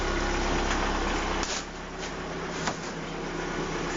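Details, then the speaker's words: VAZ 2170 Priora cold engine below 60°C, idling about 900 rpm (800 expected when warm). Steady, smooth, no lifter ticking after Hado additive and a switch from Shell 5W-30 to 10W-40; knock put down more to an ignition coil. "гідрокомпенсатори ну присадка сделала свою работу мягшила работу и даже на холодному двигателе не так Не простукивается"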